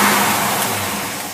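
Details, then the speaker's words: Holley 4780 double pumper carburetor tested on a running engine, mixture preset to 12:1: clean crisp rev with no stumble or popping, even fall-off; normal acceleration, carb leaning toward 14.7 at steady speed. "these carburetors will thin out if they're running properly when you start accelerating at level speeds they'll they'll level out to the atmospheric pressure around you"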